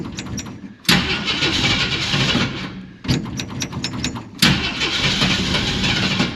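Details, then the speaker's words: 1946 Studebaker M5 pickup with AMC 258 straight six, good battery, cold spring start at 70°F: three cranking bursts with sputters before catching; cold-blooded carburetor, long cranking, hard cold start. "Been having trouble with this carburetor, like I said, it tends to be cold-blooded. So let's see, it might take a little bit here. Oh, there we go. Cold-blooded."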